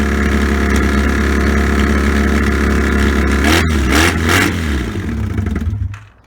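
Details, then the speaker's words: Barn-find 1984 Honda V65 Magna VF1100C on open pipes, first start after revival. A loud, even, deep idle with a couple of throttle blips, WD-40 burning off, then it shuts off: normal running. "that's enough for that then that'll be WD-40 burning off awesome it just runs then right"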